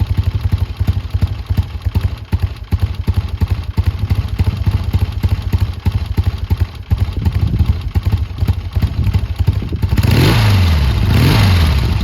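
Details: Triumph T140 twin after new carbs fitted and an intake air leak sealed with extra clamps: crisp, even thumping idle around three beats a second, then a clean rev at the end. Normal, smooth idle.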